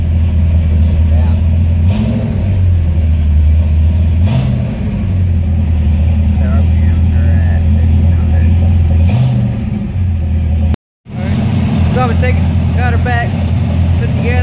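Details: 1978 Pontiac Trans Am 400 (X7 block, 6X heads) just after timing set to 18 degrees at 700 rpm, air cleaner and distributor vacuum reconnected: steady deep V8 burble, clean even throttle blips, no misses or knocks; runs healthy.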